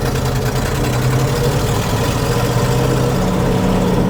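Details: 1961 C60 Viking fertilizer spreader truck, sitting about 40 years, choke at about half: rough low rumble smoothing into a steady, even pull, pitch rising as it drives off; running fine.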